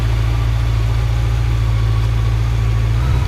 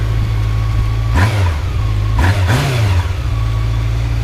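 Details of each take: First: Honda Nighthawk motorcycle on a cold start at about 15°F: low, thumping idle holds mostly steady, then stumbles and wavers; choke possibly left on, and the carbs may still need adjusting. Uneven idle. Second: Honda Nighthawk motorcycle cold start at about 15°F, choke possibly still on; settles into a low even idle with clean throttle blips; owner thinks carbs still need adjusting; normal running after cold start.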